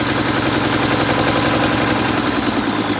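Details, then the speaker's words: 1960s Mack diesel truck restarted: rough, uneven running that creeps up and revs away on its own. The injection pump rack is loosening and the governor flyweights are faulty, so the pump needs a rebuild. "See how it's starting to rev away? So the rack's getting loose, but the fly weights inside there that control the governor, how fast the injection pump puts fuel to the engine, is starting to have issues."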